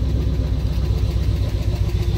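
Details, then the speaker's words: High-mileage pickup, 204,000 miles, new plugs, wires, distributor and lifters claimed: starts a little hard, then low lumpy idle with an uneven pulsing beat and heavy shaking; rough idle. "And it starts a little hard there too, as you could probably hear. But I don't know if you can see it on camera very well, but it's pretty shaky. It shouldn't be that shaky."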